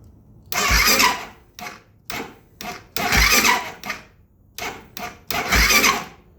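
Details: 2008 Kawasaki KFX450R, new starter, new battery plus jump box, timing and valve clearance within spec, cranked with valve cover off and little oil: several short, sluggish, uneven cranking bursts, engine never catches; labored cranking, no start, cause unknown.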